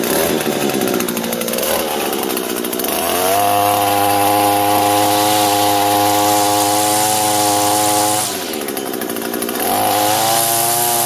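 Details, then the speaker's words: Echo gas line trimmer after repair of rattle at bottom of shaft, gear head replaced and lubed: steady clean high-speed buzz that drops and rises smoothly with throttle, no rattle; running healthy. "well cool that was it so that wasn't too bad at all"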